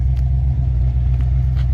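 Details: Engine that starts despite doubts it would run; a possible brake issue is noted. Deep, smooth, steady V8 rumble with an even beat and no knocks or misses: a healthy idle.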